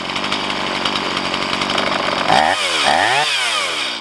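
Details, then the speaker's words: Stihl MS170 chainsaw with 16-inch bar, upgraded with Farmertec parts, after setting idle mixture and idle speed: even steady idle, then quick throttle blips returning cleanly; normal idle. "And now we can adjust the idle speed. This is good enough."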